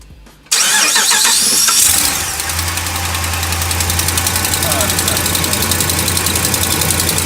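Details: Dodge Ram Hemi truck, cold start after sitting about a week: engine catches, then a quick light ticking about four per second over idle from the passenger side of the engine bay; faint tick began four months ago and fades once warm; owner suspects exhaust manifold leak.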